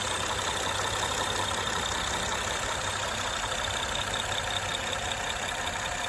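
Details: 2013 Honda Accord Coupe EX-L, 3.5L V6, automatic: light uneven top-end tick over idle, two or three per second, louder at high rpm; timing belt, tensioner, water pump and valve adjustment done without curing it; owner suspects a worn cam lobe.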